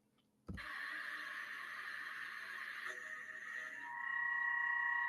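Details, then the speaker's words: Machining with part held too far out of the vise jaws; steady ringing tone over the cut grows louder and adds a second tone near the end, hollow vibration chatter, fixed by seating the part deeper in the vise. "Entonces cómo se mejoró ese proceso si escucharon por ahí se veía muy muy hueco ese ese ruido de maquinado son vibraciones cómo se soluciona metiendo la pieza más hacia la prensa y trabajando sí es es un sonido muy diferente"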